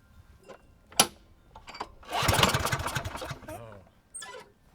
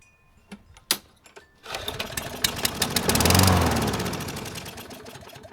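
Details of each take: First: Free Craftsman mower (model 917.370431, Briggs engine 126m02-1525-f1) that would not start: after tightening a zip tie, spark restored and the engine cranks in rapid chuffs, nearly catches then dies; dirty carb and broken cable also found. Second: Free Craftsman mower (model 917.370431, Briggs engine 126m02-1525-f1), non-starter revived after zip tie tightened restoring spark: catches after a few pulls and runs with an even, regular beat, sounds good; still has dirty carb and broken cable.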